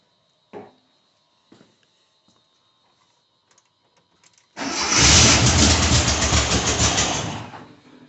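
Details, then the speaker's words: 1982 air-cooled VW Vanagon Westfalia being restored, fuel pump running full time: a few clicks, then the engine catches and roars about three seconds before stalling; owner suspects fuel pressure running out. "Yeah, it doesn't run too long before it runs out of pressure on the fuel, I imagine, eh?"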